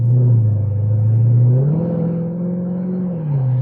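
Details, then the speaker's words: 2007 Chrysler 300C SRT8 on a road drive at about 35 mph, just out of limp mode: deep smooth rumble climbing evenly in pitch as it pulls, then settling after a smooth gearshift, no misses or knocks; running healthy. "It sounds good. And It's- we're out of limp mode."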